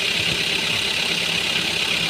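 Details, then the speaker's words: Hyundai Creta after replacing clutch plate, pressure plate and clutch release bearing: steady, even engine hiss at idle with no noise when clutch pressed; previously bearing was noisy, worse with pedal pressed. "ये देखिए दाब केने ज्यादा ही आवाज कर रहा था पर अब ऐसा कोई आवाज नहीं है"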